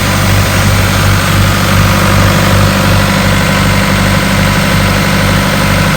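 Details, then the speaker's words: 1996 Ingersoll-Rand air compressor, diesel engine, 1006 hours on meter, gauges working: even, steady diesel beat with a low rumble, no knocks or misses; engine runs smoothly and makes air, healthy. "well i told you the motor sounds good it's making air all the gauges appear to be working"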